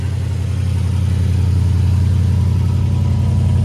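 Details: 1980 Triumph TR8 V8 on its first start out of winter storage, cold. A deep, low idle pulses at a steady beat but is slightly uneven and "a little cranky" while it warms up.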